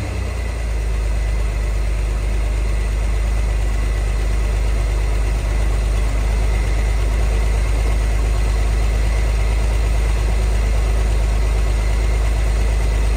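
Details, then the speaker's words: 1963 Corvair flat six parked since 1975, old fuel, now running on its own fuel pump: deep steady even idle with no knocks, misses or rattles, barely smoking; earlier worse noise (suspected fan or generator) largely gone; normal idle. "it's not even really smoking at all [Music] sounds good it was making a much worse noise earlier than I thought was the fan"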